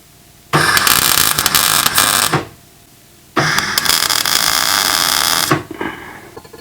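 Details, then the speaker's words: MIG welder repairing a crack on a Ford Fairmont AU. Crackling arc pauses about a second, then catches again; wire feed speed is set too low. "you hear that pause there there's not quite enough wire speed on it"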